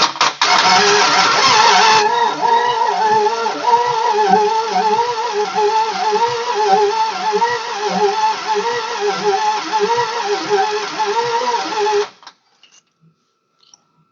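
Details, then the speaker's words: 1969 Imperial LeBaron off the road over 30 years, powered by a jumper straight from the battery to the starter solenoid: steady even cranking about two beats a second for twelve seconds. It turns over fairly freely; relay or its wire possibly bad. "sweet it turns over doesn't turn over too bad"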